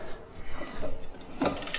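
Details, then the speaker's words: Differential from a car after breaking down on a track, shaft turned by hand: loose uneven metallic clunks and clinks instead of smooth feel, spins without turning wheels; centre, locker and internals destroyed, broken differential. "Should not be able to spin that without the wheels moving. And before, this was spinning."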